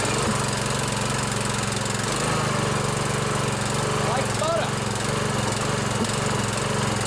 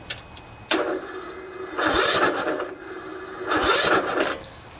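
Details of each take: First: 16 HP Briggs & Stratton single-cylinder OHV riding mower engine after valve adjustment, running on choke: steady, even chug at constant speed, no tapping or clatter; runs healthy. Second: 16 HP Briggs & Stratton single-cylinder OHV engine on riding lawnmower, new battery fitted: two slow, labored starter bursts turn it over heavily without catching; too much compression because valve lash is out of adjustment.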